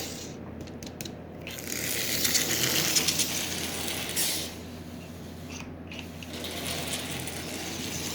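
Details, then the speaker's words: Marx 999 toy train locomotive motor unused for decades, just after silicone lubricant was sprayed into the oxidised armature: fast, dry, gritty ratcheting clatter of about three clicks a second; running should loosen the oxide. "once you get these things running it will usually bust all of the oxide loose and they will actually begin to run now this thing has not moved in decades there's no doubt about that here how dry it is"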